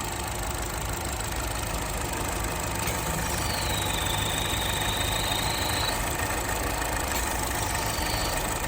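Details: 2012 Chevrolet Cruze, noise mostly mornings when cold, suction felt at oil cap and dipstick: steady idle with a thin high whistle rising and fading; ruptured PCV diaphragm in the valve cover, previously misdiagnosed as bearings or turbo wear.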